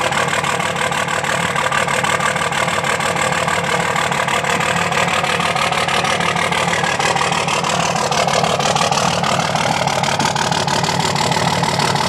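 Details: 2005 Dodge Cummins diesel at idle, steady clatter with an uneven, lumpy beat where one cylinder drops out; dead cylinder misfire from a bad injector not firing.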